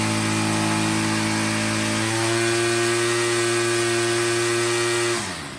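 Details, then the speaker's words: Troy-Bilt TB22 EC two-stroke weed eater at full throttle during a tune-up while the high-speed screw is set for maximum rpm: a clean, high-pitched scream that climbs slightly, holds even, then cuts off. Running great after the tune-up. "what we're going to do is we're going to full throttle it and then we're going to turn that in or out just listening for that maximum rpm"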